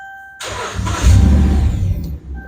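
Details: 2011 Dodge Ram cranks for about two seconds in a low steady rumble but never fires; crank no start. Loaded circuit test on the fuel pump found ground fine but about a two-volt drop on the power feed, suspected faulty power feed.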